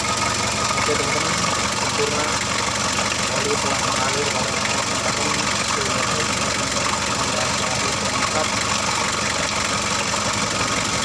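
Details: Freshly overhauled Mitsubishi L300 diesel, reassembled, oil rising evenly at the valves: steady, even diesel clatter at idle, no stray knocks or misses; runs smoothly, normal idle.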